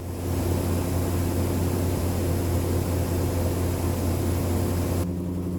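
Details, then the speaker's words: 1976 Chevrolet C10 Scottsdale parked 40 years, running on the old gas in the tank after priming the carburetor through the vent tube. A low, even V8 rumble at steady idle, quiet and smooth with no misses, knocks or ticks: normal idle. "I can't believe it's actually running off the old gas in the tank. It's idling smooth and listen to how quiet it is."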